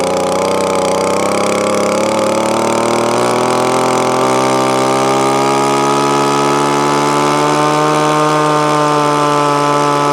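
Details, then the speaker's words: Echo ES2400 leaf blower, replacement carburetor mixture screw backed out about a turn and a quarter and more: steady, clean two-stroke buzz climbing smoothly in revs; running properly after tuning. "now that's roughly where most hard breaths will be but that's not so we're gonna keep going a bit more now you can hear it starting to pick up in revs"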